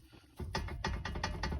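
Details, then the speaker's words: 2013 Ford Fusion Hybrid, wheel rocked side to side: sharp repeated clunks, about five a second, from play in the worn tie rod end; no play up and down. Worn tie rod end clunk. "you hear that just side to side that's all the slop you shouldn't hear that that's the tire at end"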